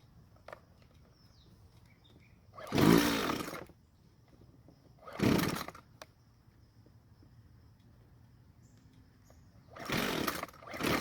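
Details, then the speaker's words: Warm Jonsered two-stroke string trimmer on fresh fuel, following hot-start instructions: three separate recoil pulls with quiet gaps and no catch; hard hot restart. Idle seems somewhat better afterward. "um as you just saw it took several pulls to get it to start up again but the idle seems to be better but who knows for how long"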